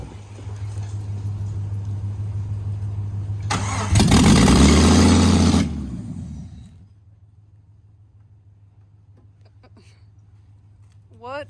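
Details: Jeep engine after reinstall, earlier no-start blamed on crankshaft position sensor: steady cranking, then engine catches with a loud burst of firing before dropping away; it fires up now.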